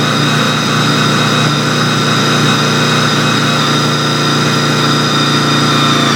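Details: Honda VFR800 misfiring only at a specific RPM around 3,800: steady mid-range engine drone with a faint ragged stutter before revs drop; owner suspects the throttle position sensor, not confirmed.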